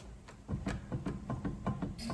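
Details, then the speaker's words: Bentley Continental R on a lift, wheel rocked by hand: dull rapid clunks about five a second from play in the wheel bearing, which needs tightening. "You can hear that clunking, so that's something I think we should tighten up."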